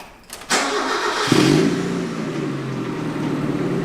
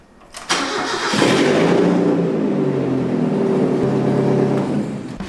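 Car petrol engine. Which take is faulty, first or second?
second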